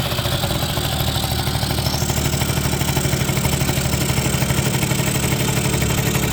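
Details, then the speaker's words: 1980 Suzuki FS50 scooter, roadside find, first run on a little mixed gas: steady, fast two-stroke popping at an even rhythm, holding strong without stumbling; it runs well but the carburetor could use some tuning. "and there it is sounds good seems to run pretty good could use a little bit of tuning on the carburetor still"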